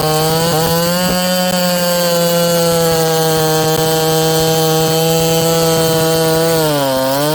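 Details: Ported Homelite 922 chainsaw after clutch and fuel line repair and a cooler heat range plug; strong, steady high-pitched two-stroke howl holds revs in hard wood, dipping slightly under load then recovering; healthy, normal cutting.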